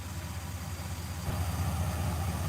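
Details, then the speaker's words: Car at idle: a low, uneven, lumpy beat with the engine visibly rocking. The owner says it is missing on one cylinder and believes he knows which. There are no leaks underneath, the brakes don't work, and a bad ground wire was found earlier. "i know it sounds good but you see the engine rocking she's missing on one cylinder and i believe it's cylinder"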